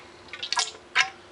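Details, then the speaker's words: 1981 Honda CB750 front fork during rebuild with fresh oil being filled: two short wet gurgling slurps as the fork tops out, air sucked through the damper; oil level too low, about another half ounce needed. "Now I'm going to slide the shock up, and what I'm going to do is I'm going to listen for when the fluid starts bubbling or the shock starts sucking air. Hear that? That was all the way at the top."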